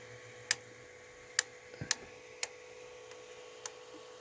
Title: Knocking noise on my Tronxy XY2 Pro Titan 3d printer.